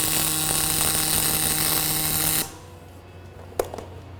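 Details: Fronius Fortis 270 pulse MIG on aluminum, about 3/4 inch standoff with lots of push: steady even crackling buzz with mains hum for about two and a half seconds, then stops; smooth stable pulsed arc, no burn-through.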